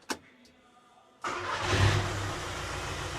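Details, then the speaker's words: VW Caddy diesel after turbo replacement, first start after fuel lines were undone, still smoking: fires straight away, flares briefly and settles into a smooth, even idle, no chuffing or hissing; normal diesel start and idle. "Like, it's running fine. The thing is, it's not chuffing, it's not hissing, it starts up great."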